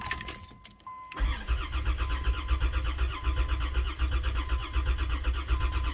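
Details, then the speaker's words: 1990 Dodge Grand Caravan LE after fuel rail rebuild, fuel confirmed at the rail; steady slow starter cranking about eighty beats a minute, never firing. Crank, no start; rail bolts later found only hand-tight and leaking. "so a bunch of fuel yeah we've got no start"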